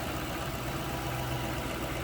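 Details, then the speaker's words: 2007 Ford Mustang Saleen Heritage Edition H-281 at idle: steady, even, smooth low rumble with no knocks, ticks or misses; normal healthy idle. "Sounds good, looks good. Fun car, one of only one the way this one is equipped."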